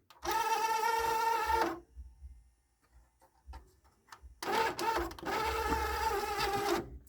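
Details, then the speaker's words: Marantz CD-63 mkII CD player whose disc drawer is slow to open; two bursts of small-motor whirring with clicks, and the tray feels dry coming out; a belt inside is suspected, not confirmed. "it does feel a little bit dry as it's coming out"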